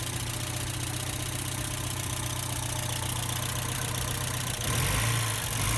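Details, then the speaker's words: Porsche 944 Turbo after engine reseal and new oil pan, first start after sitting; steady even idle, smooth low rumble, no knocks or misses, good oil pressure, boost gauge moving, alternator suspect; normal idle. "Seems to be idling well. Go around here and let you guys hear it."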